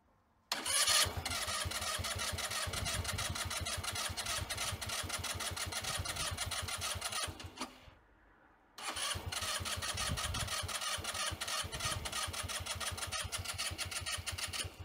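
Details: Sym Jet 14 fuel-injected scooter on jump-start box, throttle cable off, trying to start at idle: long bursts of fast starter cranking, tries but never fires; owner suspects overheating ECU, unconfirmed.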